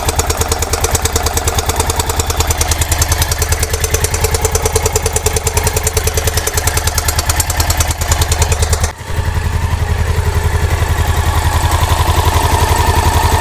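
Loud, sharp clacking at every firing stroke over a lumpy single-cylinder idle, well above normal valve noise; source not pinned down.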